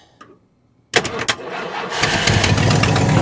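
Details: Abandoned 1968 Ford XL Fastback, 390 Z-code big block with Autolite 4300 carb, first start after decades, timing unchecked: it catches after a pause into a ragged idle with a sharp puffing tick about four times a second, typical of an exhaust leak.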